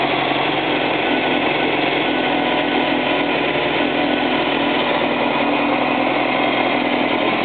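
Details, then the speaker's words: Freshly built 1835 engine test-fired for the first time with a Geno's cam on chilled iron billet and Scat lifters; steady, even running with a smooth unbroken beat and no knocks or ticks, sounding healthy. "It sounds good so far. Okay, that's the main thing."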